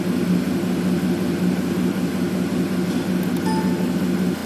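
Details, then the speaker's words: 2007 Ford F150 5.4 V8 idling after fuel injector replacement for a misfire on cylinders 1 and 7: low, even hum, much smoother than before; cylinder balance test shows only a slight stumble on 2 and 5. "now the truck is running significantly smoother than it was before"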